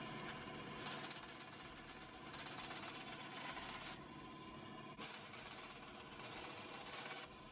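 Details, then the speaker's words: Bandsaw just fitted with a new blade after the old one snapped, cutting a piece of wood: steady, even hiss and rasp, no knocks or ticks, and speed holds under the cut. Alignment and tension are good; the saw is running normally. "Beautiful. She's doing exactly what she's supposed to do."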